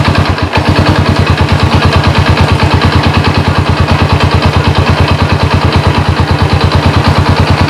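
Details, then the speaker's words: Honda Supra motorcycle converted to LPG, idling on idle gas line only (throttle supply line inactive at idle): steady even putter about three beats a second, no knocks or misses; normal idle. "jadi output yang itu ketika gas ditarik barulah alat ini bekerja untuk menyupl gas kalau cuma stasioner begini dia enggak aktif"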